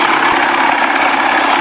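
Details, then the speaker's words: 1979 Evinrude 55 hp outboard, warm after a test run with hesitation, poor idle and hard starting: even, steady idle with no stumbles, its best all day; fuel starvation or carburetor issue suspected. "and that's the best it sounded all day idly i mean you can't beat that can't beat that"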